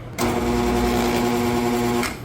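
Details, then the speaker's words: Dual-voltage 230/460 V HVAC fan motor that had been wired by another tech: harsh, strained hum with buzzy overtones for two seconds, and the wheel spins the wrong direction. Miswired dual-voltage motor. "So, this motor is capable of doing 230 volts or 460 volts. Something didn't sound right. Plus, she was going the wrong direction."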